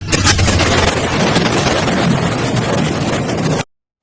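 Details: Yamaha NMAX 155 (2DP) scooter engine running with a harsh, gravelly clatter from a worn, loose camshaft (noken as) bearing; the fix is an oil-line modification feeding the camshaft bearing.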